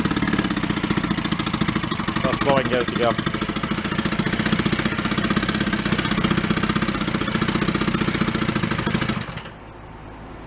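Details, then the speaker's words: 1937 Sears Water Witch 2.5 hp two-stroke outboard, 83 years old, revived from a shed, running in water with the needle at about one turn out, no oil cloud. A steady popping beat runs evenly for about nine seconds without misses, then shuts off: healthy idle. "bad not bad even the water's not all that gooey or nothing i'm not putting a cloud of oil on it nice runs pretty good"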